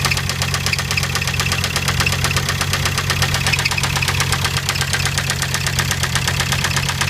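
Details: 2006 VW Jetta TDI diesel, running for the first time, idles with a rough, uneven knock at about two beats a second over the diesel clatter; owner is trying to find the knock's source, still unknown.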